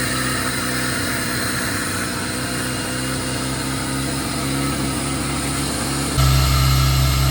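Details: 1997 Jeep Wrangler TJ (2.5), after replacing throttle position sensor and IAC valve for surging idle: fast steady idle well above normal, pegged near 2,000 rpm and climbing at end, never settling; owner suspects TPS.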